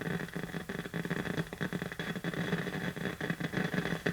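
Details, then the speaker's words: 1951 Northern Electric Baby Champ tube radio, tubes lit on a current-limited isolation transformer variac supply: constant hiss with irregular sharp crackles and pops, no station even at full volume, from a leaky capacitor on the output tube's grid. "Let's see if the actual radio itself is on. Turn the lights down here. Oh, it's crackling."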